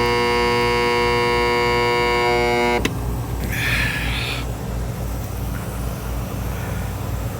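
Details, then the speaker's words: Intex pool pump that ran about a week, then wouldn't start after the pool was cleaned and refilled: a steady electrical hum with no spin-up. Owner suspects a locked rotor, possibly a bad start capacitor. "listen to this that sounds like a locked rotor to me why is it locked we need to get this thing fixed please help us it will not start"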